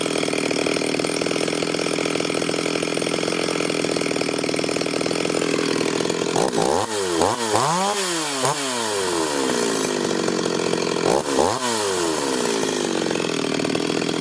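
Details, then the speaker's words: Ported Stihl 026 chainsaw after port work, tune believed pretty close: a steady buzzing idle with sharp throttle blips that rev out cleanly and settle back. Clean four-stroking up top, no more floundering as before. Healthy idle and revving. "it starts easy it's idling good good clean four stroke up top and it's as if it'll rev out um ain't making all that floundering and it was doing before"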